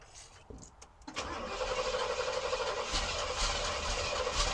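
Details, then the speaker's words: 1971 Oldsmobile Cutlass Supreme SX 455 that sat for years, cranked from a jump pack: starter drags the engine round slowly and unevenly at about four beats a second; owner suspects the jump pack is dying; slow cranking. "the uh jump Pack's probably dying ain't cranking it over as much as it probably wants to"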